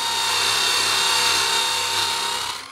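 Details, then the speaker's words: Normal motor under heavy load: a Nirey KE280 belt knife sharpener with a knife drawn through the slot under firm stage pressure gives a hiss of grinding over a constant motor tone that holds pitch without slowing. "is clearly under load but not slowing its rotation speed."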